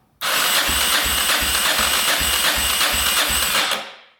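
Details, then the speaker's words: 1990 Yamaha XT600 that sat ten years, cranked on electric start with the carbs off during a compression test. About three soft beats a second, reading under 100 psi, so compression may be low. Stuck rings suspected; oil to be added. "Yeah, so looks like compression might be a little bit low, unfortunately. Let's try to add a little oil to that and see if that shoots up. Might just be stuck rings."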